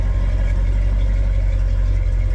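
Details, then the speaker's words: Squarebody Chevy dually V8 after replacing a failed HEI distributor, old plug wires still fitted: deep, even rumble at idle with no misses, surging or stumbling; idling smoothly and healthy. "And now it's started and it's sitting here and idling and all happy. And it's not doing anything stupid, so. And it sounds good,"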